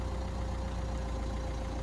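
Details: 2016 Renault Kangoo Crew Van diesel, a non-runner with about 63,000 miles, idling on a jump pack right after first start: even, steady idle with a constant low rumble and no knocks or stumbles; healthy idle.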